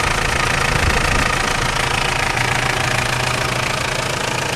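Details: Mitsubishi Pajero 2.8 turbo-diesel idling cold: fast, fairly even metallic rattle at three or four a second over the idle; chain suspected.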